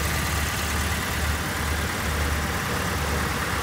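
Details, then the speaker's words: Car after a new tie rod end was fitted: smooth, quiet idle with no clunks from the front end. Before the repair, a clunking "çat çat" came through when turning the steering and on take-off. Steering now normal. "böyle sessiz değildi. Çat çat çat ses vardı. Bu aynı zamanda kalkışlarda da vardı."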